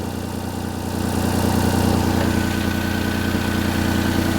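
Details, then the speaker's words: Perodua Kenari at warm idle: steady idle with rapid, even chuffing pulse from the front exhaust pipe joint; fastener just spins and won't tighten, so the exhaust leak persists. "Um, it's just spinning. It's not pulling tight, so I can't get the exhaust leak to stop."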